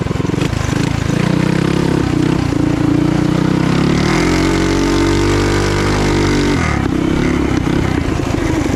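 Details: Trail Master MB200 mini bike, stage 3 223cc single, open exhaust, after metal bushings replaced the rubber engine-cradle bushings: steady rising note under power, no rhythmic clunks or chain skips; before, the jackshaft cradle twisted under power. Normal running.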